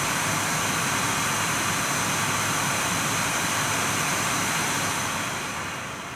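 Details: Nvidia GTX 980 reference card in an air-cooled Dell XPS 8700, blower fan at 100%, about 4,200 RPM, mic right at the card: loud, even rushing whoosh holding steady then easing off, no rattle or ticking; normal full-speed fan.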